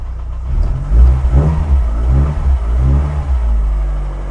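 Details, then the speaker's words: Cold 1991 Rover Metro on choke after new HT leads and ignition coil fixed misfiring and stalling below about 2000 rpm: picks up cleanly through blips without stumbles; revving smoothly, no more misfiring. "The engine, of course, is cold, and so we'll need choke, but it's revving smoothly, no more misfiring."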